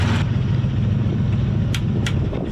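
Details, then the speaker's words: Pontiac Fiero race car at a low, slightly uneven idle with a faint stumble; unplugging cylinder 6's injector changes nothing, so that injector is dead. Owner suspects it stuck shut mechanically when boost came in, not wiring. "But this one over here, number 6, unplug it one more time. No change at all. So what we have here is a dead injector."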